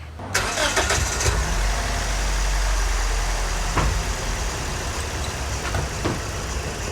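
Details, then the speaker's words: Scion xB four-cylinder, code P0300, idling lumpy with occasional stumbles; after swapping cylinder 2's coil pack to cylinder 1, the OBD reader shows the misfire moved to cylinder 1, confirming a failing coil pack; plugs were re-gapped earlier without fixing it. "so I checked the obd reader and it says that it is now misfiring on cylinder 1 so I know the problem followed it over with the coil packs"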